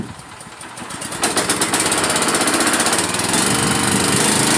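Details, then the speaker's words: Generac pressure washer small engine after a new pump was fitted, outdoors with water hooked up: catches and settles into a steady, even chug of about four beats a second; runs clean and healthy. "But yeah, you see it works good. Everything works good. Engine sounds good."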